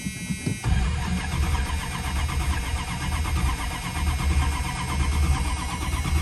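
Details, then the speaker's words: Old Chrysler not started for two to three months: the starter cranks on steadily for seconds without the engine catching. It was out of gas and ran after about a gallon was added. "oh now to be honest with you guys i think it just might be out of gas surprise surprise"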